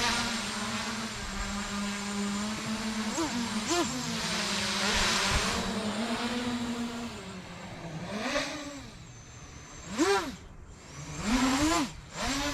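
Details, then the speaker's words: 8-inch FPV drone after PID tuning, field flight test: motor hum rises and falls smoothly with throttle, no shaking warble even descending through prop wash; tune holds steady with no oscillation. "so as we can see there's actually no oscillations even with prop wash so say we're going down no oscillation at all which is really good"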